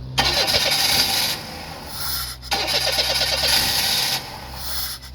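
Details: Engine with a starting problem, cause unknown; two long cranking bursts at about three turns a second, each fading without a clean catch.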